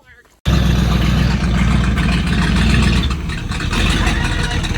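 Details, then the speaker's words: 1977 Dodge tow van on the road after it caught fire: rough low rumble that surges and sags at idle. The carburetor float is sticking; it needs a carb kit rebuild. "Give it a minute cuz it's either going to I'm going to beat that. It's the float is sticking."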